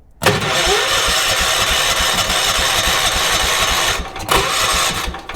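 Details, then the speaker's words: 1980s ORVCO Transtrack UTV, start on choke with fuel poured into the carburetor, before the fuel tank is connected: catches cleanly, runs evenly for a few seconds, dips briefly and picks back up. It sounds quite healthy. "Oh, that'll do. I think that's ready for a fuel tank. Oh, how good. Actually sounds quite healthy, too."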